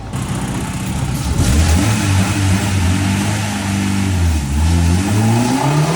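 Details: K-swapped Miata on a full-throttle pull after VTC, not commanded by the standalone ECU, was moved to a different half-bridge output: strong pull, pitch rising smoothly through the revs with no stumble or misfire; power gained, VTC now working.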